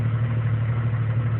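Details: 1999 Jeep Cherokee Sport 4.0L I6 rough idle: low, heavy drone with slightly uneven throb; this is now its normal idle, having dropped to around 300 rpm at times, nearly stalling; cause not identified.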